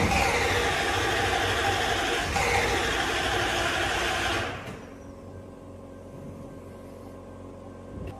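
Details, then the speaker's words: Toyota Soarer SC400 1UZ-FE V8 with new Blueprint distributor caps after most parts were replaced: even, rapid cranking for about four seconds with no catch; crank no-start, owner suspects the timing is out and plans to check spark. "Well, that answers that. The engine's coming out, it's getting stripped. So the only other thing that I can think of is it's got to be the timing's out."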